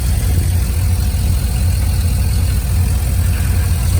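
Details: 2001 Silverado 5.3 V8 with turbo kit, after replacing the blown driver's exhaust manifold gasket with a metal one and adding a turbo blanket. Deep, even burble, steady low rumble, no ticking or puffing: normal idle, leak fixed.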